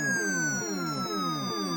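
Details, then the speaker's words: Galaxian arcade PCB sound circuit: player one start tones with falling chirps about twice a second over a slowly sinking high tone, pitched too high; fixed by replacing the 4066 analog switch at 7R, which also restored the missing explosion sound. "I think they're off when I hit player one start. Seems like a little too high pitched."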